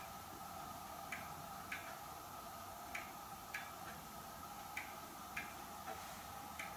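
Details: Hermle weight-driven grandfather clock movement on a homemade test stand (Ford F350 rotor-disc base, 2x4 post), just levelled, pendulum fitted: crisp, even ticks about every half second over a quiet hum; normal ticking, running in beat.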